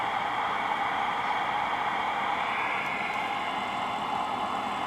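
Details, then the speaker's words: Cobra 2000 CB radio receiver (no receive light, S-meters stuck) fed by an RF generator in CW: constant steady white-noise hiss where it should be stone quiet; receiver out of tune or faulty, cause unknown. "but i know you can hear that white noise now there shouldn't be any noise it should just be stone quiet"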